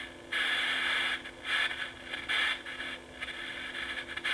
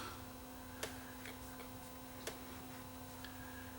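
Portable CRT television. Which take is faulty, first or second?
second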